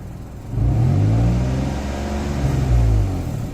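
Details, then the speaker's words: 2003 Nissan Pathfinder revved in two-wheel drive with check engine light on: deep rev stumbles and sputters, exhaust smell in engine bay after revving; owner suspects exhaust problem drawing exhaust back into engine, cause unconfirmed. "it sounds weird right and then you hear it sputter a little bit yeah i'm getting a lot of exhaust over here up in the engine bay"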